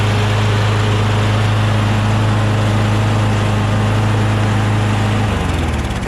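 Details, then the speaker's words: John Deere JS26 mower with a Briggs Quantum engine, after the carburetor was cleaned of gelled gas and the remaining water was blown out through the muffler: steady, even hum at one speed for five seconds, then settling lower. It runs smoothly. "there was still probably a little bit of water maybe inside the intake manifold area but then once we shot some lube in there um some carb spray in there it ignited eventually right and then the combustion blew the remaining moisture out the muffler"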